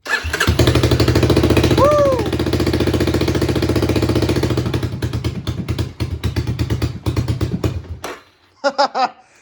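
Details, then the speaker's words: 1985 Honda ATC250SX after restoration, with painted exhaust refitted, new OEM petcock and fuel filter, rebuilt carburetor: quick fast cranking, then the engine catches and runs with an even rapid pop before shutting off; starts and sounds good. "that sounded cool okay the exhaust is back on starts up and sounds good"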